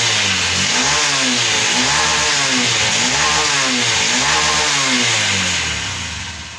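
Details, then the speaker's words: Honda SP BS6 motorcycle, 3381 km, after injector cleaning and reconnecting the injector wire it had been missing and hard-starting on: clean, even revs climbing and dropping smoothly with no misfire or stumble; normal revving. "তো এখন আমি লাগাবার কথা start করছি গাড়িটা। এখন কোন অসুবিধা নাই।"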